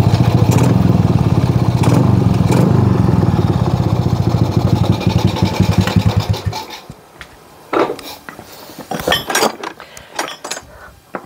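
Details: Shogun R110 single after repair, first-gear indicator lamp wiring short fixed: steady, even beat for several seconds without faltering, then switched off; running normally, no longer stalls in gear.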